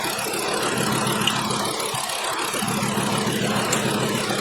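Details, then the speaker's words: 2012 Volkswagen Jetta 2.5 L five-cylinder with a constant misfire, idling with one cylinder's plug unplugged: uneven stumble about three beats a second over a steady hum. The same cylinder still skips after swapping coils, so the coil is ruled out. "And yes, I unplugged this now. It still makes no difference. This cylinder is still skipping."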